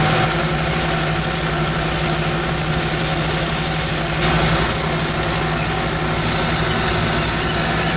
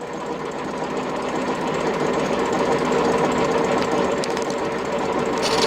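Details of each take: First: Old tractor without doors, in-cab, mowing a heavy unfertilised hay crop, slowed down and revs raised: steady low drone with constant hum, no clear bogging heard; mower labouring, owner suspects blades need changing. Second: And the old blades are just finishing spinning round now. You can hear them clanking on the bottom drum.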